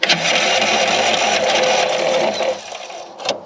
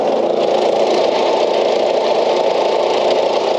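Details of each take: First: Old Craftsman LUV (Lawn Utility Vehicle) riding mower, non-runner, fired on carb cleaner and starting fluid: engine catches and buzzes about two seconds then fades and quits, starving for fuel; fuel starvation. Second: Old Craftsman LUV (Lawn Utility Vehicle) riding mower, non-runner revived, with a vent suspected plugged and left loose: loud, steady single-cylinder drone at even speed, no misses or surges; stays running and goes in gear; normal running.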